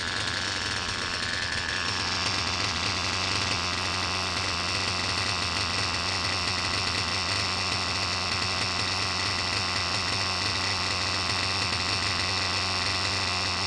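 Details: Reds R5 nitro RC engine, low-speed needle leaned and idle raised: steady high-pitched buzz at even speed, no tapping or clatter; earlier "chipmunk" noise gone, normal running.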